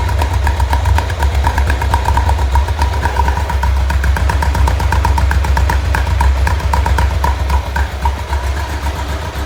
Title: Rough idle